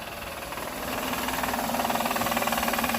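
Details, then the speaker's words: Honda Odyssey (about 2005–2010) at idle, under the hood: steady clacking knock about four a second resembling engine knock. "look and you hear it sounds almost like an engine knocking noise which is concerning"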